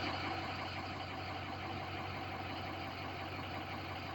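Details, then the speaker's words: Diesel idling after stand pipe, dummy plug, IPR valve and STC fitting replacement, reading about 29–30% and 580 PSI, turbo VGT relearn not done. Even idle clatter with no turbo whistle on top; cause unknown. It has been dying at about 3 miles. "I mean, it it sounds all right other than I don't have my uh turbine sound. I mean, that's the only thing that concerns me is I don't have my turbine sound."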